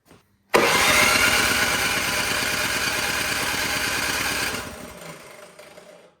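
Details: Toro PowerMax 7240E snowblower, sat 4–5 years after one use, primed, full choke, electric start: starter whirs steadily about four seconds with no firing, then winds down; cranks but won't start. Old gas clogging carburetor suspected; fuel valve possibly closed.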